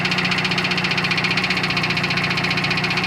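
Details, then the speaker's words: Built 400hp Subaru Outback XT on quick jacks, intermittent noise over 2000 miles: regular knock about 2.5 per second at idle from drivetrain side; owner suspects front diff, not the engine, flex plate not ruled out. "It's not rod knock. It's coming from my front diff. Is it the diff? It's coming from my front diff."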